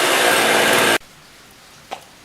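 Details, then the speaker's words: Husqvarna 55 chainsaw with a 20-inch bar, choke off, starting on fuel left in the carb: a loud, fast buzzing run, then it cuts. Idle is set far too high so the chain still spins; the idle needs turning down. "I do have to just turn down the idle because the chain still spins. So of course the idle is way too high."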